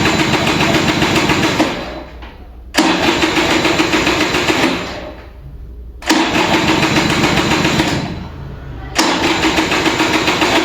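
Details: Vintage Kinetic Honda 2-stroke scooter, early-morning cold start: three fast-churning cranking bursts of two to three seconds with pauses and light throttle twists, weak ignition, engine never catches.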